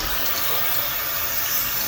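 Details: Domestic radiator after fixing a leaking valve-tail nut: steady hiss of water rushing back in as air is forced out, a normal refill after reopening the valve.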